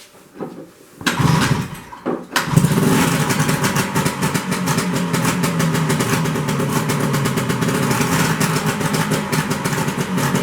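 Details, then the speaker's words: 1973 Skiroule RT 440 two-stroke snowmobile, first revival start after unknown years: very loud, raw crackle with harsh unmuffled popping. The exhaust pipe has popped off because its spring is missing; the kill switch also doesn't work. "God, that's loud. Oh, my ears. This thing is loud. No wonder it blew the the pipe up."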